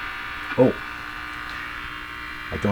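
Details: Philco 42-322 tube radio: a steady low mains hum, thought to be rectified 60-cycle, drones with no change over time. It is caused by the ground wire being disconnected, and background noise drops once it is reconnected.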